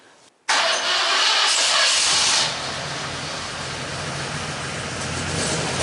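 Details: 1974 Ford F100 with Pertronix electronic ignition and Flamethrower coil: cranks and catches at once, flares briefly, then settles to an even, steady idle with no knocks or misses.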